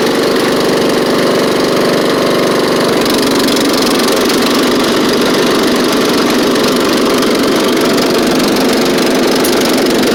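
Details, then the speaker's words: Scotts riding mower after new drive belt, safety switches bypassed, slight exhaust leak: steady, even engine note holding constant speed with no knocks, slipping or surging; runs, drives and cuts well, normal running. "little bit of an exhaust Le but but it does run drive and cut drives really good with the new belt like almost too good"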